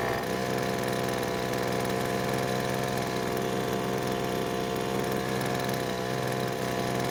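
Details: Poulan Pro leaf blower after stopping in use, H screw adjusted at full throttle, loose bolt suspected: steady, even high-speed drone with no surging or sag; normal full-throttle running.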